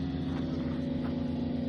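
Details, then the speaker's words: Newly plumbed water pumps in a Citroen Dispatch van's rear cleaning system, run to bleed the system, after being re-plumbed because they were first fitted back to front: steady, even drone and hum as they suck up water, no surging; running normally. "There we are, we can hear them sucking up water."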